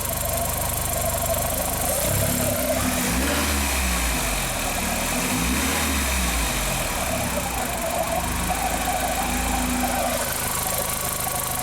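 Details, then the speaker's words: 2001 VW Jetta Wolfsburg 1.8T with earlier codes P0302/P0303/P0300, after installing a replacement engine computer, with the coils still loosely hooked up. The idle is fairly even and picks up cleanly on a throttle blip but runs slightly uneven; the cylinder 2 misfire is gone. "here we haven't actually replaced it but we are gonna fire this baby up and see if it fixed our misfire on the number two now I just want to reinforce that we still have these flopped around with Cortland can you start that we have back home hooked right there but does not seem to run perfect"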